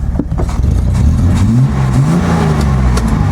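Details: Datsun 240Z on a test drive after carburetor work, disliking full throttle: loud high drone wandering up and down without settling, revs staying high as though the throttle is stuck open.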